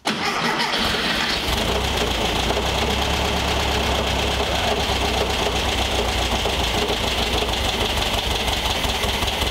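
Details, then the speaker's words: 1973 VW Thing Type 181 that sat for years, restarted after the timing trouble: brief cranking, then it catches cleanly and settles into an even, steady air-cooled run with no misses. A good, healthy start. "all right it's a good start it's a runner we know that already Einstein"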